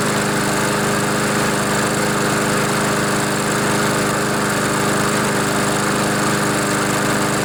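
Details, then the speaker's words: Honda GCV engine on a Poulan mower that was tipped the wrong way, putting oil in the air filter and muffler; started on choke: steady even single-cylinder drone with no misses or surging, still smoking as oil burns off; running normally. "so it runs runs pretty good too"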